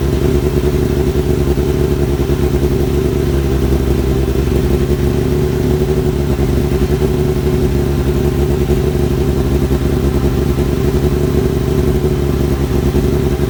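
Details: Kawasaki ZX-7R four-cylinder after carb cleaning for idle problem, warming up: steady even drone, clean throttle response without hesitation; normal revving, more responsive, idle adjustment working; owner suspects old fuel/debris in idle circuit.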